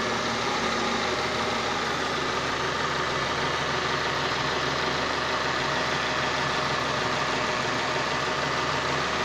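Steady engine run with a constant whine riding over a rough gritty grind that stays present throughout; source not pinned down.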